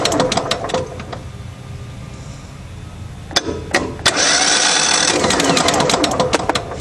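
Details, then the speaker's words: Craftsman DYT 4000 riding mower needing motor work: fast, light, uneven cranking that spins too freely and never fires. No compression on either cylinder; owner expects a rebuild or a replacement motor if the block is damaged. "okay listen to that no compression whatsoever on each cylinder"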